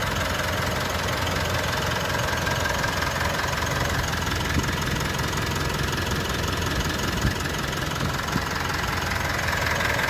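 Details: Mitsubishi All New Pajero Sport 4N15 diesel at idle: steady, even idle with soft dry clatter, no irregular knocks or misses; normal, smooth, healthy engine.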